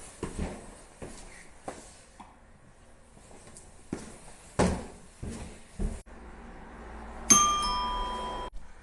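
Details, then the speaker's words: Nest Hello connected to an existing doorbell chime through a relay: a few handling knocks, then one clear bell-like ding that decays cleanly; chime works properly. "As you can hear and see, this works quite well."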